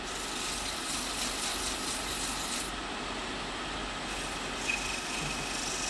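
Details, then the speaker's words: Wood lathe sanding a 6x6 cedar lamp blank in reverse with 120-grit paper: steady high rasping hiss over a soft motor hum, even and unbroken; normal sanding. "Now I'm going to put this baby in reverse and hit it with 120. As you can see, it sands up pretty quickly."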